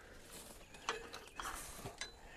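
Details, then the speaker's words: Old, probably 1970s, Caterpillar crawler loader, thought to have a 3304 engine: the starter gives a few sharp, isolated clicks about half a second apart and nothing cranks, not even bumping over. They fear the engine is seized. "sounds like it's clicking up there yeah i think it's just to make the spring mechanism you might be hearing there's a probably a cylinder at the end of the day that's what's clicking yeah starter"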